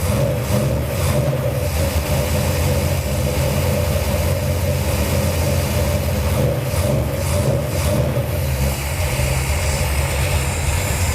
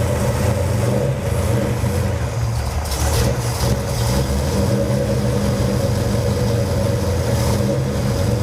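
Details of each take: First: 1978 Dodge D200 with a 451 ci big-block Mopar V8, first cold start on a new Edelbrock VRS 850 carb at out-of-box settings: deep, fairly steady lopey burble, no knocks. Idle a little slow, floats slightly high; normal idle. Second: Cold 451 cubic-inch big-block Mopar in a 1978 Dodge D200 on first start with a new Edelbrock VRS 850 carburetor, out-of-box settings: deep, steady burble with lazy, slow idle and no misses; float levels look a bit high.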